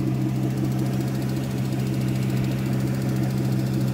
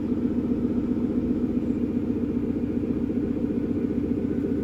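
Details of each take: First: Aston Martin Vanquish, engine warm: steady petrol running with a light even tick/tap at roughly twice engine speed, absent from cold; abnormal valve-train-type ticking that a dealer dismissed as emissions-related, cause unconfirmed. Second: Second-generation Aston Martin Vanquish, cold start: even regular firing at steady idle, revs creeping up slightly, no ticking; sounds normal when cold, ticking only appears once warmed up.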